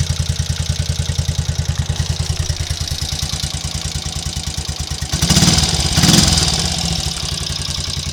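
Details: Triumph Trials Cub single-cylinder motorcycle idling after its misfire and poor starting were fixed: a steady, even thump that picks up cleanly on two brief throttle blips, back to normal running.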